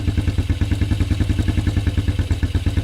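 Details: 1987 Suzuki Quadrunner LT230E ATV (stated also as 1988), single-cylinder, started from cold in cold weather with hand-covered intake as makeshift choke (choke cable frozen) during throttle and air filter replacement; quick even thumping about ten beats a second, steady, clean cold idle.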